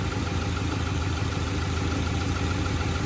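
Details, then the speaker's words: Honda Accord with a rough, uneven low idle and an irregular stumble about three times a second from a dead cylinder misfiring. Spark plugs ruled out; owner suspects an electrical fault or injectors, possibly needing an engine teardown. "So it is not the plugs. Shit. Now we need to figure out what's going on with electrical, or if my injectors are out."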